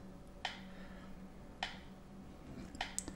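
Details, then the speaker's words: Lab power supply feeding two TDA7293 chips bridged on an ex-TDA7294 board; sharp dry ticks about every 1.2 s over a faint hum: supply hiccuping in short-circuit protection, negative rail shorted, one chip suspected dead. "wow you know what's nice about having these power supplies have a perfect protection to short circuit and i think one of the ic it's gone that's for sure"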